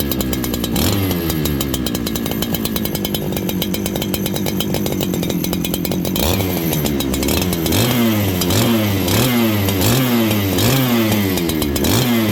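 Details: Farmertec 288 kit chainsaw after oil pump repair, before carb tuning: blubbery, uneven firing that hunts up and down instead of settling; the carburetor is set very rich, so it won't idle.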